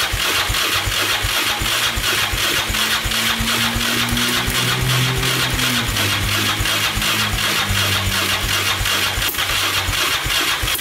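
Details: 2002 Yamaha Raptor 660 after timing chain and bent valve replacement, choked, first start attempt: slow even chuffing under three strokes a second, never catches; starter not spinning the engine fast enough.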